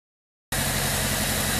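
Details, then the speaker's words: 1997 Toyota Corolla with low compression from stuck rings, at idle after over 30 minutes of high idle on a flushing oil concentrate treatment: smooth, even idle, a little quieter at the top end, with no ticking or knocking. "kicked off your idol back down again and we believe it's a little bit quieter at the top end"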